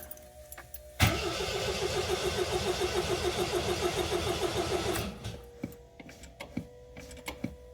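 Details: 1979 MGB cold start: fuel pump primed, choke on, pedal pumped; steady cranking chug about 3.5 beats per second for four seconds, then catches on choke, RPM rising and leveling as it warms; temp gauge not yet reading. Normal cold start.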